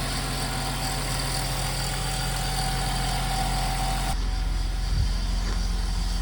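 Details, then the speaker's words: BMW convertible idling after its home-serviced injectors were refitted: a steady idle with a light metallic rattle because the alternator cooling fins are hitting the alternator shell. Alternator rattle at idle. "Let's ignore that rattling alternator. The cooling fins are hitting the alternator shell, but we'll just try to forget that for now."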